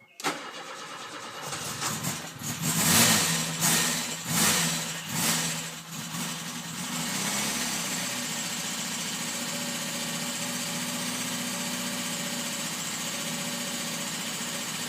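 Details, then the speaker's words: Opel Kadett B OHV 1.2 S tuned engine, sharp camshaft, large valves, original carburettor refitted; cranks, catches, idles with light fast tick, owner suspects valves though clearance set to 0.2 mm intake and exhaust; cause unclear. "jedenfalls jetzt di das Tickern das man hört dürften die Ventile sein aber warum jetzt ist das Spiel nor mal bei 0,2 und 0,2 mm respektive Einlass und Auslass gleich auf 02"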